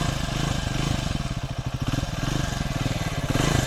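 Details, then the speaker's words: Triumph Speed 400 that developed engine ticking around 6,000–6,500 km, after a shim (tappet) adjustment: even, steady firing that rises and falls smoothly with the throttle, with no ticking. Normal revving after the repair. "अब इसकी normal आवाज है वो कोई खिच ख ख किसी टाइप की कोई नाउस नहीं"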